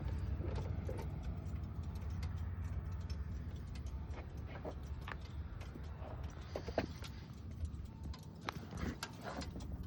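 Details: V8 idles with a hard, rhythmic knock from deep in the block from 2 spun rod bearings.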